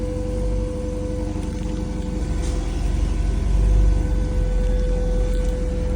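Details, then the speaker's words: Porsche Cayman T flat-six at a cold start, which passed a full inspection despite viewers claiming a knock: even, steady idle with a smooth low rumble and constant tone, no knocking heard; normal idle. "But once again, it's getting picked up tomorrow. So, I don't know. Always get your car inspected, even if it sounds bad."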